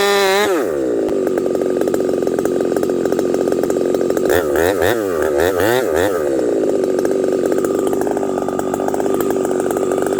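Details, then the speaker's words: Husqvarna 371XP chainsaw with pop-up piston, 28-inch bar, hardwood, about 35°C: screams at high revs then hunts and won't return to idle after underbuck; lean surging, carburetor possibly dirty, suspected not confirmed. "then I do an underbuck the saw goes randomly lean and will not return back to idle"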